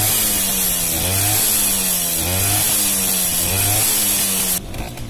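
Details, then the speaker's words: Romet 2375 moped with aftermarket carburetor and non-original cylinder, air screw set just under 0.5 turn: small two-stroke revs with a high ringing note, climbing and dropping cleanly on each blip with no bog; at 1.5 turns it bogged. "ale tak na tym ustawieniu najlepiej chodzi, bo reaguje od razu na gaz. Zaraz zobaczycie. Teraz ładnie reaguje na gaz."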